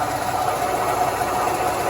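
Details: Smart & Brown 1024 lathe running after headstock and gearbox oil filter clean, sump not pumping bubbles: smooth, even hum with steady mid-pitched whir, no knocks or rattles; running normally.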